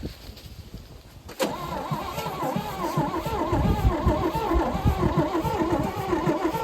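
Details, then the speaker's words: 1974 GMC 6000 truck, parked 22 years, new battery, fuel splashed down the carburetor barrels: starter churns the engine over at a steady, faster beat but it never catches or fires; possible slight firing suspected, spark not yet checked. "That's a little faster. It's a faster turn. A lot faster."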